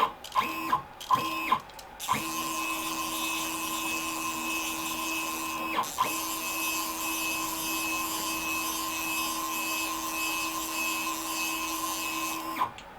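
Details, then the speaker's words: WorkBee CNC machine with new TB6600 Mach3 parallel-port controller, motors energised after reset then jogged on X axis: two short blips, then a clean steady stepper whine and crisp stop, no stalling; normal. "if i now hit the reset button i can hear the workbee motors have just come to life um now um so if i move the jog down now we're set to 100 on the x"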